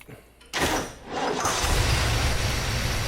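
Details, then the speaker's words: 1972 Ford Mustang Mach 1 V8 with a big cam and Ford 4300 carburetor, ignition timing set too far advanced: a second of laboured, uneven cranking before catching and settling into a steady rumble that idles fairly well; hard start from over-advanced timing. "là-bas, c'est ce qui se passe quand le timing d'une voiture est réglé un peu trop haut hors caméra, je l'ai compris là où il tourne plutôt bien au ralenti avec cette grosse caméra là-dedans"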